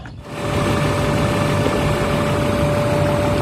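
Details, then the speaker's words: 1997 BMW E39 523i manual, M52B25 2.5 L inline six, engine bay with hood open: after it catches, a steady, soft, even idle with faint belt hum, no knocks or misses; a very smooth M52, valve cover dry with no oil leak; normal idle. "Ini adalah suara mesin M52 yang masih halus banget. Jadi kalian udah ada patokan gambaran mesin yang halus itu bunyinya kayak gimana."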